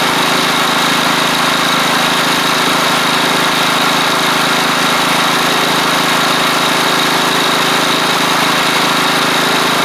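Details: Troy-Bilt Pony riding mower with a replacement engine, running: steady, even drone with no misses, knocks or surging; sounds good, with a little smoke that the owner suspects is oil bits hitting the hot exhaust, less at low throttle.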